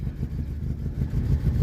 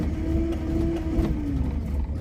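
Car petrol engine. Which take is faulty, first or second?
second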